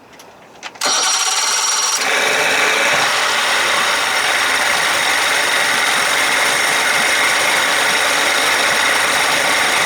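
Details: 1992 Johnson 60hp two-stroke outboard fitted with 1990 70hp carbs with 52-D high-speed jets, jets verified, losing 3+ mph top speed; catches straight away, settles into steady buzzy idle without stumbling or hunting; normal start and idle.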